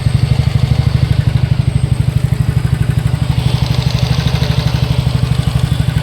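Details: TVS NTorq 125 BS6 scooter, 7,399 km: fast steady ticking clatter over a low single-cylinder idle; slightly loose starter one-way clutch and loose tappets, fixed by one-way clutch repair and tappet setting.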